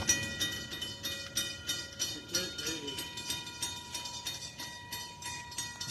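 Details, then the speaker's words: Railroad crossing bell on Prescott during testing: bright clangs about three per second, slightly uneven, sounding lower and slower than the other bell; observers suspect it is dying. "I feel like this bell's about to die. Because you can hear it's clanging a little slower."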